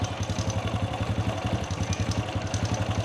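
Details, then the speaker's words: Honda Wave 100 motorcycle at idle after valve clearance was set tighter: the earlier loose-valve tapping is gone, leaving a light quick rattle pulsing with idle, about four beats a second, from the timing (cam) chain. "แต่ตัวนี้คือเสียงโซ่ราวลิ้นนะครับนี่ที่เพื่อนๆได้ยินนี่แหละครับเสียงโซ่ราวลิ้นแต่เสียงเมื่อกี้นี้คือเสียงตัววาล์วห่างนะครับ"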